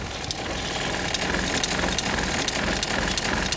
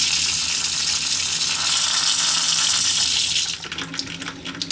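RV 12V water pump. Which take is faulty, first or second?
first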